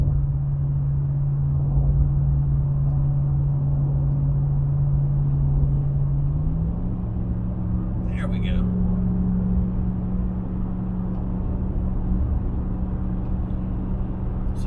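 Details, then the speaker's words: 2017 RAM 1500 towing a Retro 189R travel trailer on cruise control, transmission limited to 6th: steady cruising drone under road noise, then engine pitch rises and holds as it downshifts to 5th on a small hill. Normal downshift. "you heard the transmission downshift, the engine rev up. You downshifted to 5th gear, and it wasn't much of a hill."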